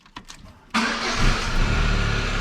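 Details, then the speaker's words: 2002 Pontiac Sunfire, 4-cylinder automatic, off the road since 2011, during a fuel pump replacement project: the engine catches instantly without long cranking and settles into a steady idle, a normal start. It was slightly noisy earlier, possibly from low oil. "dude she starts right now i mean like right now that's all right we'll take it we'll take it every day like that"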